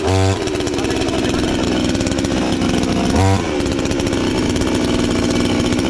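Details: Chinese counterfeit chainsaw sold as a Stihl (MS 461), newly assembled and first start attempt: saw catches and holds a steady high buzzing run with brief revs at start and around three seconds; starts and runs fine.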